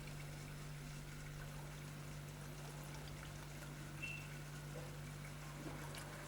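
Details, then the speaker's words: Fridge with ice box, defrost drain just cleared with wire and water poured in: steady low hum with soft trickle as water runs freely down to the compressor; drain clear and flowing. "And that's completely clear, and the water is going down onto the compressor."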